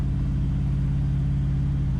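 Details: LS V8-swapped truck on the right PCM, coolant up to 198, accelerating: deep, even V8 pull rising smoothly under load, no stumble, surge or vibration; earlier bumps and vibrations gone, engine sounds healthy.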